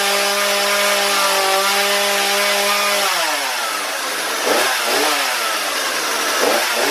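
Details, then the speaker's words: Husqvarna 235 chainsaw after complete carburettor rebuild with new fuel lines and filter; high buzzing two-stroke holds steady, bogs and recovers while cutting wood, sounds good but could be tuned up a little; normal running. "first it sounded pretty good it sounds like it can be turned up a little bi"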